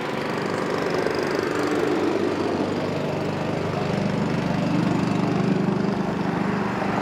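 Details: Honda-powered Billy Goat at about 21–22°F, running after a choke and cable adjustment got it started: steady, even small-engine drone holding constant speed under load, no knocks or misses; running properly.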